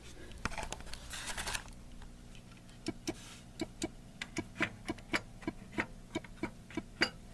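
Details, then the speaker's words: Atari Asteroids Deluxe arcade game board after a bad chip was replaced with a socketed new one: short even beeps about four a second in test mode, but nothing on screen; board seems to work, monitor suspected faulty, video signal not yet checked. "Hearing little beeps. There's nothing on the screen."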